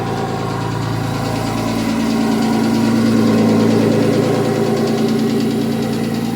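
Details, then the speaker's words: Audi S4 2.7 bi-turbo forged engine in a Porsche Boxster, after engine work replacing a bad lifter, about a minute after start: steady idle with even low hum and faint light patter, no loud ticking; startup noise (suspected piston slap) gone, normal warm idle. "So it's been running for about a minute there, and it sounds fine, so I'm not going to concern myself anymore with a noise on startup."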